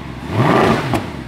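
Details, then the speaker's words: Mercedes W212 E63 AMG M156 V8 after throttle body plate replacement, intake manifold leak fix and injector cleaning; previously ran so rough it barely ran, now quick clean throttle blips rise and fall smoothly without misfire, stumble or rattle; normal throttle response. "this thing was so rough it barely wanted to run and just listen to it now silent awesome"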